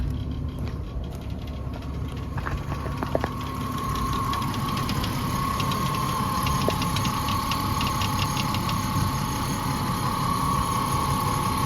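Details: 2005 Ford Mustang 4.0 V6 after installing a new water pump for a coolant leak, still warming up, no leaks seen, check engine light blamed on gas cap: even idle, soft steady tick, faint high tone from belt area, no heavy knock; normal idle.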